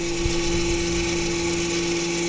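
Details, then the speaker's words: 2014 Audi Q5 rear electric parking brake, opened via a Snap-on scan tool's parking brake replacement function for a pad change: a steady even motor hum at one pitch for a few seconds as the caliper motors retract normally. "the counter for opening up there you go now you can service the back breaks"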